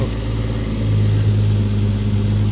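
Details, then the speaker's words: Engine's first start after a rebuild: steady, even low hum with no knocks, misses or ticking, no smoke, starts first try; normal healthy idle. "Alting fungerer bare. Sådan skal der være. Og starter i første hug. Og den ryger ikke engang."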